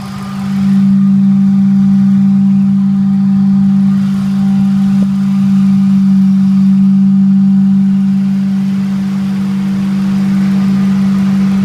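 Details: Ford 4.6 SOHC V8 idling with a strong, steady low humming noise over it, rising slightly as it revs.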